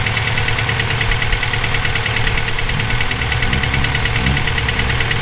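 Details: EJ257 flat-four at idle: a loose, uneven knock, about two per second, rides over the idle, present for about 17k miles since purchase; owner suspects rod knock, a spun bearing or valve lash. Source not pinned down.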